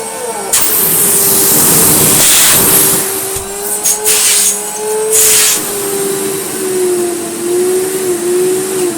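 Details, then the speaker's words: Restored French Moulinex E59 cylinder vacuum cleaner stepped from 400 to 800 to 1300 watts: strong steady motor whine over loud rushing air, pitch wavering as the hose struggles; not silent but powerful. Normal full-power running. "It's not a silent machine, I have to confess, but crikey is it powerful."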